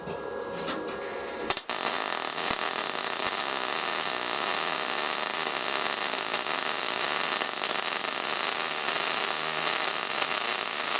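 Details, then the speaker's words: SIP Autoplus Mini 130 synergic inverter MIG welder with argon shield gas: after a short scratchy start the arc settles into a steady, even crackling hiss, a "singing" sound with no pops or spatter bursts; the noise you want, a well-set weld. "you got a nose it's making like a singing children noise that's it the noise you want to hear"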